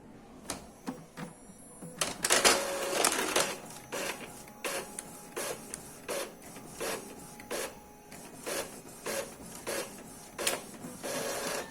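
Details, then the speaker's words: Epson L3150 after freeing jammed paper as a temporary fix: head cleaning, then copying, with short whirring passes and clean paper-feed clicks about once a second; belt noise normal, no grinding or jamming, printer working normally. "fez a cópia tá fazendo uma limpeza do cabeçote esse barulho é por causa da correia tudo bonitinho vamos tirar outra cópia"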